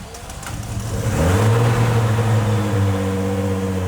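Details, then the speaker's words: 2JZ engine swapped into a Hellcat, start on pump fuel after fixing a starter wiring issue at the fuse box: catches and rises smoothly to a steady, even idle with no knocks or misses, super high oil pressure; normal start. "Oh yeah. It's crazy how good it runs when the king gears are like that."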